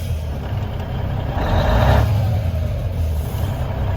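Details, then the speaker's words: 1994 Freightliner FLB cabover, Cummins Celect N14 with new injectors, just revived, air pressure built, not yet warm; diesel idles with a sharp half-second burst of escaping air as an air valve pops off about every 30 seconds. Air compressor suspected. "Other than the air valve popping off every 30 seconds, we gotta do something about that. That'll drive me crazy."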